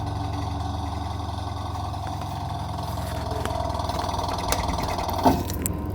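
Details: Automatic washing machine: steady low drone with a rough mechanical rattle and an occasional clunk while the drum runs; faulty gearbox.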